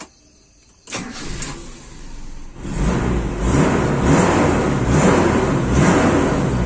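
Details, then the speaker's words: Toyota Kijang Super after washing the engine, warmed about 10 minutes to operating temperature with thermostat open: restart cranks and catches cleanly, revs rise and fall smoothly and evenly; healthy start and rev. "ini mesin sudah jalan sekitar 10 menit ini sudah panas berarti thermostat sudah buka radiator saya sudah padat Alhamdulillah kita ada masalah suara mesin juga halus"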